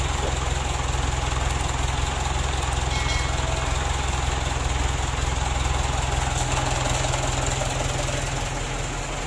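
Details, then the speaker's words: Mitsubishi Canter diesel re-overhauled after only 5 months (oil burning, cracked piston), after rebuild, idle raised while the injection pump is being adjusted: low, slightly uneven shudder of about 2.5 beats per second, engine still vibrating; rough idle vibration. "lalu untuk lancarnya ini masih kita aku tahu tinggikan masalahnya masih getaran ya kita matikan dulu"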